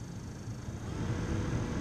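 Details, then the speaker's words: 2005 Dodge Ram heater blower motor after replacement: soft, even airflow hum with no squeal, ticking or rattle, much quieter than before; new blower running smoothly. "oh yeah that's way quieter hopefully you can hear that"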